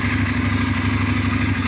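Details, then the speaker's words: Voge DS900X motorcycle after dashboard firmware update 4.7 to 4.9: smooth even idle, low steady throb, no ticking or rattling, sound unchanged from before; normal. "tak ada bunyi yang berlainan, tak ada jadi special sound pun pada kita punya motor."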